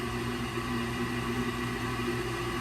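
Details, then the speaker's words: Old Rheem gas furnace with new hot surface igniter, start of heat call: draft inducer running with steady motor hum and light whir, no rattle or scrape, before the single pressure switch closes; normal inducer operation. "All right, so the draft inducer is running. pressure switch single one on this unit should satisfy."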